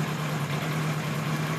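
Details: 1976 Kawasaki KZ900-A4 four-cylinder after the exhaust cam timing was corrected and two bad plugs were replaced, on a lift: steady, low, even idle hum with no misses or knocking. A normal idle; the carbs still need slight sync tweaking.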